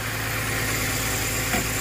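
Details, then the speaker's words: Car just started after spark plug replacement and battery disconnect: petrol engine idling with low, uneven shake, cylinder 1 misfire (P0301); cause later traced to the exhaust system. "Oh, that feels horrible. Why does it feel like we have a dead cylinder? We didn't have that before."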